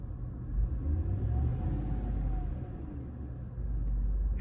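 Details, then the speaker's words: 2013 GMC Yukon 5.3L V8 at 146,000 miles, test run right after replacing all eight spark plugs and wires: low, steady rumble with even firing and no hunting. Idle had jumped between 600 and 900 rpm before; now smooth normal idle. "sounds smooth and main thing is looking at that tachometer it was really hopping around at idle it was jumping around from 600 to 900 all by itself for no good reason but yeah nice and smooth"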